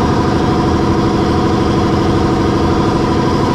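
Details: Brewery compressor for tank cleaning and the kegs, running loud; steady pumping thrum at roughly two beats a second, with no knocking or squeal, running normally.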